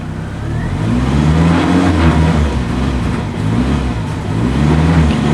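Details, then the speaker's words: Suzuki Vitara that barely starts, idling around 900 rpm, throttle held steady: engine note surges and sags unevenly as rpm jumps from very low into the thousands. "We're just accelerating and holding the throttle steady, but look at the RPM. It's jumping around. We're down below real low and then we go up into the thousands. Man, sounds terrible."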